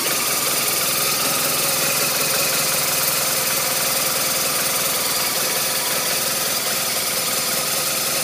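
Boxer ticks over with an uneven, lumpy beat of about two or three per second over a loud clattery top end; rough idle. Cause suspected, not confirmed.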